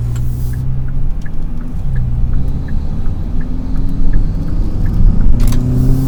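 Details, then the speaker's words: 2020–2023 Hyundai Sonata N Line on a test drive in sport mode after installing HKS M45XL spark plugs: steady low hum climbing smoothly through each gear, no stumble or miss under load; sounds good, no misfire. "it sounds good doesn't seem to be Mis fire or anything"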